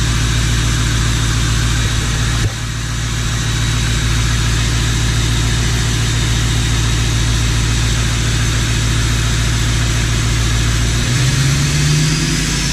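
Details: 1977 Ford F250 crew cab with a swapped 6.0L Powerstroke diesel, newly running after the swap; loud, deep, even diesel clatter settling into a steady idle with no misses or knocks; smokes a little; healthy normal idle.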